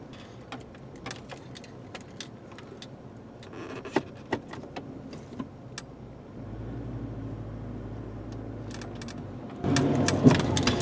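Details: 2003 Chevrolet Trailblazer: sharp metallic clunk from the front end when driving over uneven ground, heard from the left front and at times the right front; diagnosed as worn front sway bar links, replaced with Moog K6666 links.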